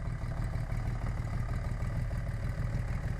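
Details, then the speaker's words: 1980 Honda CBX1000 with a Wiseco 1150cc big bore, ported head, '79 cams and carbs, Dynajet stage 3 kit and 6-into-1 pipe, idling at 500 rpm: a low, steady, even purr with faint ticking and no misses, showing good carb sync, jetting and valve adjustment. "That's good carb sync, jetting, and valve adjustment."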